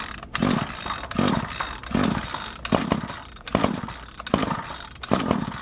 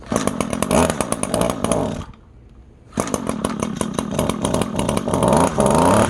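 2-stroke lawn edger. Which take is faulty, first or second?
first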